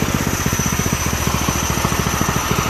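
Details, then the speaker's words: Predator 212 engine swapped into a go-kart, running before its first test drive, with the throttle return spring still to be doubled: quick, even single-cylinder firing pulses with no misses or knocks, running pretty good. "But other than that, she seems to be running pretty good."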